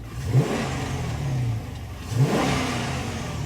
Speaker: Still revs up just fine. Boy, that made that uh made a little bit more noise out of that uh engine, didn't it? Yep, she runs just fine.